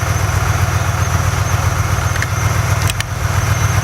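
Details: 2005 BMW 645Ci V8 idling after alternator replacement, charging now over 14 volts: deep, even idle with a steady beat and no squeal or knock; engine running smoothly and healthy.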